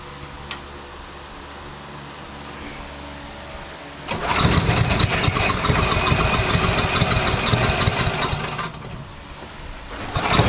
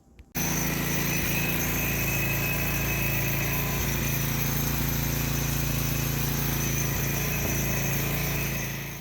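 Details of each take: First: DeVilbiss PowerBack 5250-watt generator, Tecumseh engine, after carburetor and coil change with fresh fuel and filter: starts on choke after about four seconds, then screams at a high racing pitch; throttle set too high, overspeeding, later corrected by turning the adjustment screw counterclockwise. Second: Devilbiss Powerback 5,250-watt generator with Tecumseh engine, after a coil and carburetor change: engine speed was too high, so the throttle screw was turned counterclockwise. Now a steady, even drone with no hunting or surging; runs properly with 110 V output.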